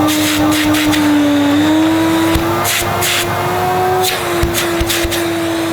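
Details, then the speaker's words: Electrolux 380 Turbomatic vacuum cleaner, first run after unboxing: motor hum with pitch that wavers and dips instead of holding steady; uneven motor running, cause not yet found. "doesn't quite sound as smooth as I would have hoped"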